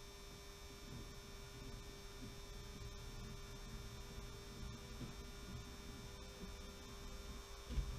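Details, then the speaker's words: Model funicular railway powered by a 16-year-old improvised controller: constant low droning hum with steady mid tone, the old controller humming loudly and annoyingly; owner plans to replace it. "so there you have it that's the funicular railway and the humming noise you can hear is this old controller which I've lashed up which is really annoying I have to say"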